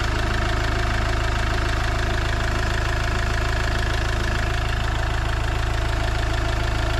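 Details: Iveco Daily van diesel around its engine oil, oil filter and diesel filter change: even, regular diesel clatter at steady idle, about three beats a second, no misses or odd knocks; normal idle.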